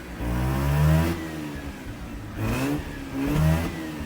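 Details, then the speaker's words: Mazda RX-8 rotary, about 129,000 miles, likely never rebuilt, still cold with check engine light flashing: three throttle blips, revs climb unevenly and stumble, then sag to rough idle; misfiring, owner suspects worn apex seals. "As you heard, it's doing some misfires. because there's a good possibility that my apex seals, they're probably worn."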